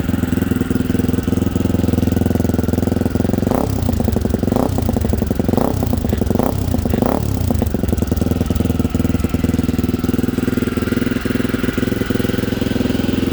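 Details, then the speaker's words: 1987 Honda XL250R RFVC single-cylinder barn find, started first kick after years of sitting. Cold and slightly warmed, it gives an even idle thump and small gentle revs that rise and fall smoothly, running quiet and well: a normal cold idle. "so sounds good it's warmed up a little bit we gotta do little baby revs because it's cold sounds great"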